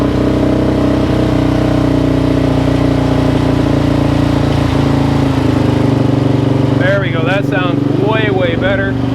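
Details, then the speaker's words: 2004/2005 Suzuki LTZ 400 single-cylinder after valve train repair (failed valve guide job by another shop), restarted on choke with idle raised; smooth even thump, no valve chatter or ticking, sounds healthy. "that sounds really really good so that sounds really good actually I'm super happy about that"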